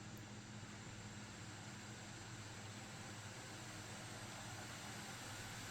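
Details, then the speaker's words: Steam Deck just back from RMA repair: a steady airy whoosh starts almost immediately at power-on and never drops, with power draw climbing past 13-14 W; the fan runs constantly at full speed, cause unclear. "As soon as I turn it on, almost immediately, you're going to hear the fan turn on. It's not going to it's going to stay on for extended period of time."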